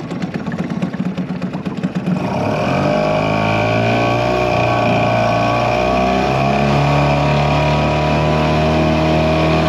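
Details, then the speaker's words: 2001 Yamaha 5 hp two-stroke outboard after lower unit shift repair, in gear pushing a 14 ft boat with two aboard at about 4-5 mph: choppy pulses, then smooth constant buzz, no stumbles; healthy under load. "But yeah, guys, the motor is running pretty good right now."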